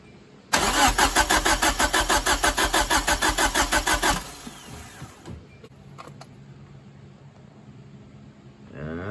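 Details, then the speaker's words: Turbo Hyundai daily with 1.8 engine after a loud pop at the track, compression test with plugs out: even starter chugging about three pulses a second; reading around 90. "So we can take that out of the picture. The motor is not hurt. This motor's good. I figured it was good."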